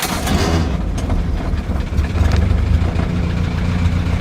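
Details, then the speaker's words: Crosley engine, started on a warm day of about 90°F: a loud starter cranks briefly, then the engine fires right up and settles into a steady, even low rumble with over 40 psi of oil pressure. Normal start. "once the starter scares the crap out of you she fires right up with 40 plus lbs of oil pressure"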